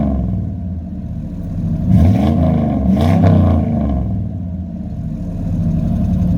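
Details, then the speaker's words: 1997 Chevy 3500 4x4 with 454 big-block V8, up to temperature after a cold start: deep, even burble at warm idle, picking up smoothly through two throttle blips and settling back; normal warm idle and revving. "we'll crank it back up and uh give you a couple revs on the way out uh now that it's up to temperature"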